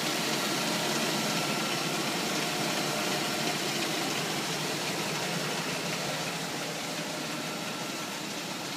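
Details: Rebuilt 5.7L engine running after rebuild: smooth, even note with steady hiss, no rod knock or tapping; normal running, bottom end healthy.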